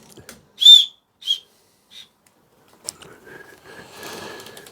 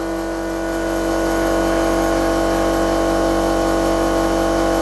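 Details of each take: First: 2000 Rover 75 1.8 K-series, cylinder leakage test on cylinder 2 while turning the engine by hand: three short high whistles, each fainter, as the piston rises, showing it coming up on compression, not exhaust; compression stroke whistle. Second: Old air compressor supplying a regulator for cylinder leakage testing on a Rover 75 1.8 K-series. Loud steady drone with a hard fixed hum and a rattly pulse about four a second; noisy from age.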